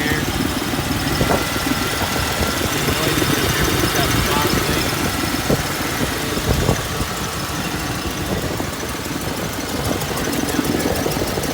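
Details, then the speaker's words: 1999 Ford Mustang 3.8 V6, five-speed, 147,000 miles, uneven lumpy idle with stumbles and raspy exhaust; fuel smell, owner suspects bad fuel injector or fouled plug, possibly coil; exhaust leak apparently at right-side manifold gasket. "she's running rough i can smell fuel kind of think maybe might have a bad fuel injector foul plug definitely has an exhaust leak"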